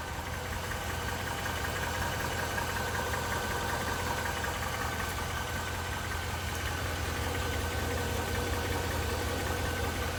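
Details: Mercedes-Benz GL 500, M273 engine, 72,500 km: steady idle with a fairly regular tapping knock near 160 per minute under the engine drone, internal engine knock.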